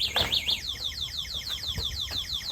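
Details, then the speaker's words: Bird e-bike (36 V, 500 W Bafang motor, 350 miles) anti-theft alarm: loud high-pitched chirping warble, rapid repeating siren of falling sweeps for nearly three seconds; alarm sounding normally. "So that's just to let people know, even though it doesn't have GPS tracking, that's just to scare the burglars away. I recommend that on any e-bike. The alarm sounds like this."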